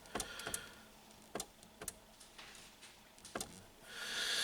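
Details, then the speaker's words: VW Golf 5 rear tailgate wiper: the relay clicks sharply but no motor whir follows; the motor gets no power, and the wiring through the tailgate loom is suspected broken, or the motor jammed and tripped its thermal fuse. "а задній склочисник не щолки спрацьовує але але не реагує іреле"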